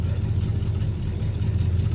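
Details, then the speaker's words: 1973 Plymouth Scamp's first real cold start at 11 degrees in snow, no windshield wipers; low, slightly uneven note with wavering pulses as the cold engine stumbles before steadying. "This will be its first real cold start, and it doesn't have windshield wipers."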